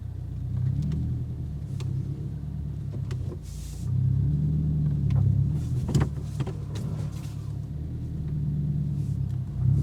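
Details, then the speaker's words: 2022 Subaru WRX driven with both front sway bar end links removed, including a full-lock U-turn: steady low road rumble with only faint scattered taps, no clunks; quiet suspension implicating the end links as the clunk source. "full lock no noise so that tells me that end link is doing something"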